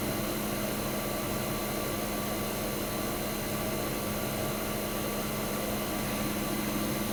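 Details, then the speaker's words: 1965 Fedders Weather Wheel 12000 BTU air conditioner, first spring 2023 startup: steady even hum with constant low tone and smooth airflow hiss, no knocks or rattles; suction cold, discharge hot, air ice cold. Running healthy. "She is as happy as anything, guys. Just listen to that beautiful sound."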